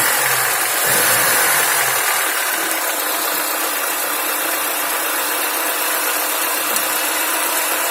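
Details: Lada Niva engine idling with a faint, fairly regular tapping about four a second under a hissy background; engine knock, cause unclear.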